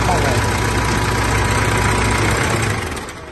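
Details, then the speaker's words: Mitsubishi L200 Triton 3.2 diesel at idle, recorded before teardown: steady idle with a fast, regular light clatter about four times a second from the timing chain; chain was later replaced with a semi-new original kit. "aí pessoal olha o barulho dela como que tá pode ver que tá bastante morrido esse ruído é proveniente da corrente de comando dela"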